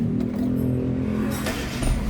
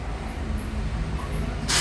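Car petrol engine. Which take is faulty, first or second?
first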